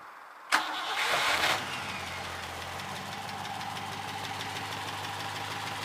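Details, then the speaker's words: Rover V8 swapped into a Willys Jeep with a rear-mounted fuel pump and homemade two-inch stainless headers: a short crank catches quickly, flares, then settles to a steady even idle. The owner notes occasional warm-restart coughing, but this start sounds fine. "that's lovely no problem at all"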